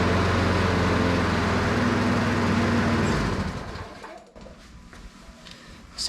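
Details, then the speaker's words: Self-propelled lawn mower just fitted with a new carburetor and a new spark plug gapped to 0.030 in, running old go-kart gas. Slow, lazy thudding idle well below normal before winding down; very low idle, governor spring not hooked back up. "weird to me I mean it runs good it just sounds like it's a really low idle that's odd"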